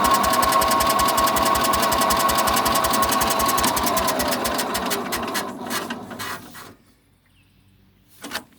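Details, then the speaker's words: Sears SS14 garden tractor cranking with fuel on, choke and full throttle tried: even starter cranking about four turns a second for five seconds, never catches; owner wonders if it lost spark, was running fine before. "i can't even get the freaking thing to pop over chuck won't do it throttle won't do it i wonder if it lost spark i hope not it was running just fine"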